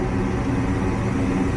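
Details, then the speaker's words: Goodman gas furnace from a no-heat call, after rusted burners and orifices were cleaned, sanded and reinstalled: igniter on and flames lit, an even low roar of the burners running steadily with no popping or flutter; it fires cleanly. "so we'll go ahead put them back igniter is on our Flames are going we are good"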